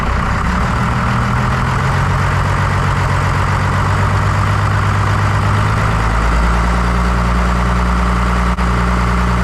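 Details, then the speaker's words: 1993 Dodge W250 with 5.9L 12-valve Cummins diesel, after injector replacement: deep even diesel clatter settling into a steady low rumble; smooth normal idle, diesel steaming off the exhaust. "foreign but yeah I think she sounds a lot better"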